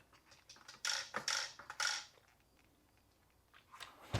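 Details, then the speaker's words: Crash-damaged steering servo on a Traxxas 1/16 Mini E-Revo VXL, hit at skatepark, tested on battery before metal-gear servo upgrade: short bursts of harsh gritty buzzing about every half second, then quiet; servo binding and getting stuck. "all right let's do that right there I can hear it it doesn't sound good all right so it's definitely getting stuck"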